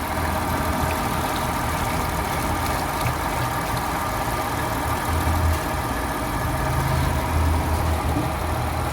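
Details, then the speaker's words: Honda Accord (whale-body) 3.0 V6 petrol at idle after repair: replaced and cleaned injectors, injector filters, leaking coolant hose; earlier shook with cylinders 1 and 5 misfire codes and flashing check-engine light. Now steady even idle, no stumble, light off. "เครื่องก็นิ่งแล้วนะครับผมเครื่องก็นิ่งปกติแล้วไม่สั่นแล้วครับเครื่องนิ่งนะครับผม"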